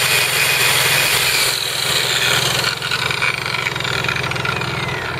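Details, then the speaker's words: Honda EU3000is inverter generator (new) idling in eco mode with no load; quiet, steady low-speed tick-over with an even beat and no misses, healthy no-load idle. "That's in eco mode with no load. Crazy quiet."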